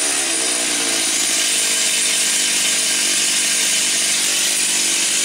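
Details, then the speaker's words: Stihl 028 AV Super, said to have low compression, carb retuned from slightly rich high speed and lean low speed: clean, steady high-rev scream with no stumbling or surging, running healthy. "low compression it's not gonna run at that low of an idle and it certainly wouldn't have that acceleration"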